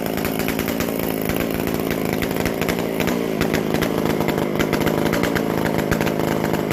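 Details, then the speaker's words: McCulloch Super Pro 125C chainsaw; loud crisp high buzz, steady even firing, healthy, loud because the muffler-to-exhaust gasket is still missing. "That's a really good running saw now, absolutely. And it's loud because I got to get a gasket, which is on the way."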